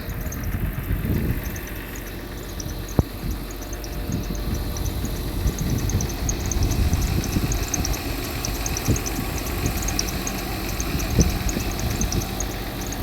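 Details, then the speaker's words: Mercedes W126 300SE, M103 3.0 L inline-six with a Voltarent conversion, idle raised slightly to about 900 rpm: low, calm hum with a smooth, even beat, no misses or knocking; normal idle. "You've got to love how calm that engine is. Wow. Running pretty well."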